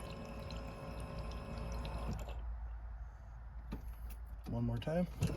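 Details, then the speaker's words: 2005 Jetta TDI with a newly installed aftermarket lift pump: on key-on, a steady buzzing whir for about two seconds cuts off, then repeats on the next key cycle; the pump primes normally. "so in theory i should have a fuel pump now so keys in gonna turn it on listen you can hear it cycle it again"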